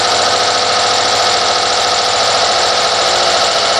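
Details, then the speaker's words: 2014 Subaru WRX with 15,897 miles, just after a cold start at about 50°F; the fuel pump is heard priming. A steady high whining squeal rides over the engine noise. It happens about 80% of the time, mostly cold, and the owner suspects a bearing. "I have a squealing issue when I start it not quite sure if it's a bearing or what"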